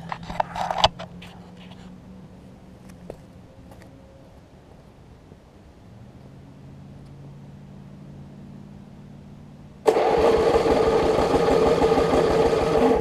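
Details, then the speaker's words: 1981 Snapper RER rear-engine mower after carburetor work: catches and runs steady and even, idling a little high; owner suspects a governor issue, otherwise runs and cuts fine. "like I say I think I've got a little bit of a governor issue on it the thing cuts fine as you can see"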